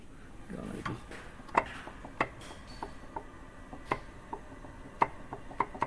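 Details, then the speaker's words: Jaguar XFR-S supercharger snout turned by hand before rebuild: irregular metallic ticks and heavy rattling from play in the two front bearings; very slight play also in the main supercharger; bearing replacement recommended. "However, there's a lot of play in these front bearings, and that's making the charger sound quite nasty. You hear it rattling? Yeah, that's pretty heavy. And basically we've got play in the in the front two bearings here."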